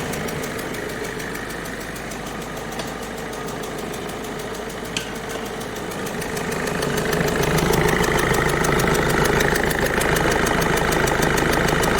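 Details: Peugeot 207 1.5 HDi diesel at idle, recorded at the engine with the air filter moved aside: sharp, even ticking about two and a half per second over the idle, the chuffing of a leaking injector seal.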